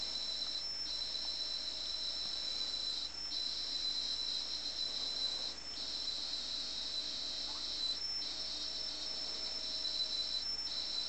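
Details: Atari 800XL loading a game from cassette tape: a piercing high two-tone whine, briefly cut about every two and a half seconds as blocks load; normal tape loading tone.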